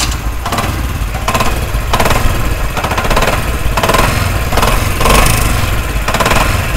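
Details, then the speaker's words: Motorcycle engine at idle: heavy, rapid metallic knocking and rattling, sounding like a wrecked engine; a mechanic blamed the connecting rod and wanted a full engine opening, but the actual cause is a loose clutch hub nut. "तो दोस्तों आपने आवाज़ सुनी, आवाज़ कितनी ख़तरनाक है। आप देख सकते हैं कि बाइक का ऐसा लगता है सारा इंजन ही ख़त्म हो चुका है।"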